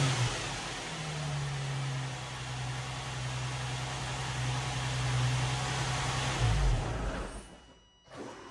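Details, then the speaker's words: 2004 Nissan 350Z just after fitting new OEM-spec fuel pump, cam and crank sensors: catches after priming, settles into steady even idle, then a quick clean rev with no stumble or misfire; normal engine running. "It took a little while to prime it through, but she's running."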